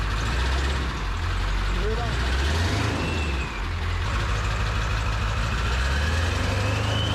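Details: Ford 7.3 Powerstroke diesel after new KC turbo, MBRP exhaust, up pipes, Irate plenums, oil crossover kit and fuel bowl reseal: deep rumble with turbo whistle rising and falling on revs, settling to even idle; running fine.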